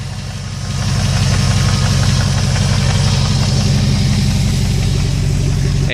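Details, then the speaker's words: 2001 Jeep Grand Cherokee 4.7 V8, first start after three months: steady idle with loud, deep, slightly raspy exhaust drone, too loud for stock; muffler hanging after its clamp broke. "reason one of the muffler's thing because the clamp broke and this thing was kind of abuse"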